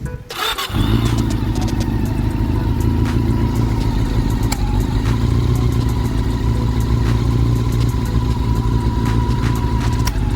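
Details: CB400 engine, long stored and rusted, after head work (original cams reused, valve clearance re-set): starts cleanly and settles into a steady, even idle with no ticking from the head; normal idle.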